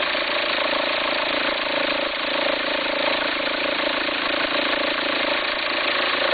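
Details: 2004 VW Passat 1.9 TDI at idle; uneven, fluttering, farting rumble over the steady diesel idle as the belt appears to jump, owner suspects a worn pulley, possibly the alternator — rumbling noise at idle.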